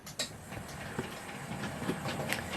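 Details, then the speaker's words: Model loco on a layout: light quick clicking over rail joints with a faint motor buzz; running smoothly. "now we can hear it we can hear it making very promising noise over there it's buzzing a little bit here it comes"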